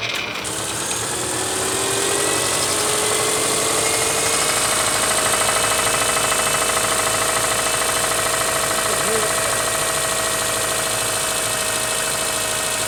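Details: 2009 or 2010 Subaru Impreza 2.5 liter at idle after oil change, oil full; hard regular knocking about three per second; multiple rod knock from lack of oil, engine to be removed and rebuilt.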